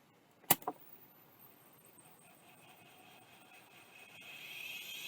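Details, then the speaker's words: Old hard drive, freshly received, plugged in: a couple of sharp head clicks, then a faint whine slowly rising as platters spin up; heads move from ready to park position, drive appears to work, normal spin-up. "that sounded like it worked yeah it sounded like it uh went to the park from ready position so I think that drive is working"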